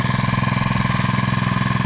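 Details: Predator 79cc 1-inch water pump engine after repair with a newly fitted air filter, started on choke and run at part throttle, not full: even, rapid single-cylinder putter of about fourteen beats a second, steady with no misses. Normal healthy running.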